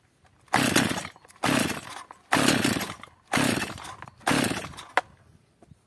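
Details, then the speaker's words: Stihl MS 230 chainsaw (also described as an MS 250) that runs unstably after a failed owner repair. It was warmed up after L-screw carburetor adjustment. Short bursts flare up and die about a second apart; it fires but won't catch and keeps stalling. "Jak widzimy pilarka pracuje lepiej jednak gaśnie"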